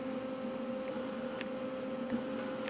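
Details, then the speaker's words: Lincoln SP135 Plus MIG welder with 75% argon / 25% CO2 mix, mic placed next to the machine: steady electrical hum with the trigger held but no gas hiss at all; the gas valve intermittently fails to open. "I'm not hearing argon oh this is argon mix here I'm not hearing the gas"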